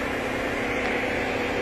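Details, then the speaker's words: Radiator cooling fans commanded on with a scan tool: steady even airy whoosh running real slow; fans are worn out and only start when the fan control module is smacked, drawing over 18 amps; control module to be replaced. "k so you can hear them fans running real slow got the i'll tell commanding them on and yeah they're completely wasted"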